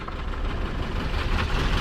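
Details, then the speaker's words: Ford 302 V8 in an abandoned donor car running on old bad gas: low, lumpy idle with uneven exhaust thumps, running on about six cylinders, some water from the exhaust; misfire. "That's it. That's about how it run on 6 anyway."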